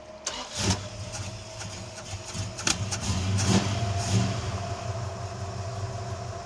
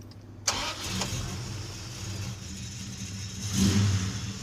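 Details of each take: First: Plymouth Duster started hot with its idle set too fast: the engine settles to a fast idle with a thin steady whine over the rumble from a junk idler pulley bearing. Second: Red Plymouth Duster started after adjusting the belt tensioner and checking pulley alignment: first-try start, smooth even idle and a clean blip with no squeal or chirp; the squeak is fixed.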